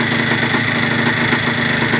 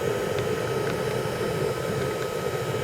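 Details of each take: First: 1980/1981 Yamaha IT175 vintage two-stroke enduro single: crisp, even ring-ding beat with no misses or rattles; running clean and healthy, though a petcock O-ring fuel leak was found. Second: 1980 Yamaha IT175G two-stroke enduro idling with oil packed in the muffler getting up to temperature and burning on and off; steady idle with rough fluttering pulse-jet-like exhaust and faint irregular pops, heavy smoke: muffler fire.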